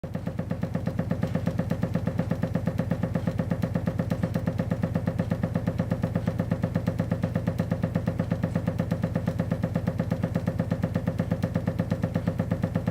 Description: Odd when the boiler starts up the already dripping tap starts dripping faster and creates a cycle of water hammer.